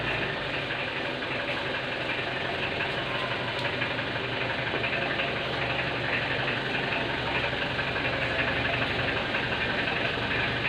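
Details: Mitsubishi L300 at idle: very loud, fast, uneven rattling knock about four per second from the engine; source still undiagnosed.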